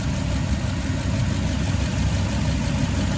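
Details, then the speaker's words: Toyota Tundra V8, passenger-side bank, idling with a skip: lumpy uneven idle with a recurring stumble; unplugging the number 6 coil pack changes nothing, identifying cylinder 6 as the dead cylinder, a bad coil pack. "So number 6 is the main culprit of the problem. So we will unplug this coil pack right here, and I'll let you listen."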